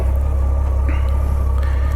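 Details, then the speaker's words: 1997 Honda GL1500SE Gold Wing flat-six, owned about three years, restarted while still a little warm from earlier running; quiet, smooth, even low hum with no ticks or misses, unlike a V-Twin sound. Normal warm idle. "it's a quiet bike the Gold Wing if you're used to uh that V-Twin sound this is this is a different sound"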